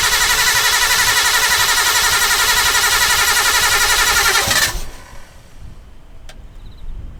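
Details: Restored R32 Skyline running after being revived, catalytic converter not yet fitted: even, steady beat with a clean tone before shutting off; a rattling "shara-shara" noise is noted, believed not to come from inside the engine; normal idle.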